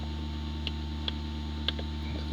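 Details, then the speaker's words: 2005 Dodge Caravan with an ABS pump motor circuit fault, pump commanded on through a scan tool functional test during diagnosis: a steady low electric hum with a few faint clicks. The pump now runs, which it could not do before; normal operation. "So, well, we heard the pump work. So, pump's running. Couldn't do that before."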